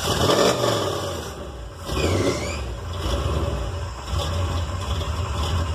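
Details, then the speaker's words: Flooded carbureted V8 cold start, holding throttle open without pumping: engine coughs, stumbles and surges unevenly before catching and rising to a rough run as it clears out. "well that's the best I knew in a situation we got one flooded just hold your foot down give some bottle don't pump it anymore just hold your foot hold the throttle open so it gets some more air and it'll eventually hopefully fire it up for you and clear out"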